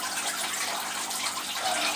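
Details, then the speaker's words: All Pond Solutions external canister aquarium filter during priming: constant gushing, sloshing splash with no clear rhythm, like a washing machine; air still trapped inside canister, cleared by repeatedly pushing down and lifting the priming control. "and lift that up and you layer it you lay like it sounds like a washing machine you lay water splashing about inside"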